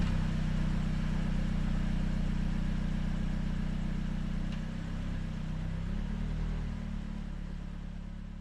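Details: Hyundai Creta/ix25 after exhaust rattle repair: steady low engine hum with a mild rev change, smooth exhaust and no metallic rattle.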